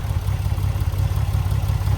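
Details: Triumph TR6 straight-six with mechanical fuel injection (no throttle-position sensing, on fresh fuel, oil pressure present): steady, even low rumble at idle with no knocks or misses. Healthy, smooth idle.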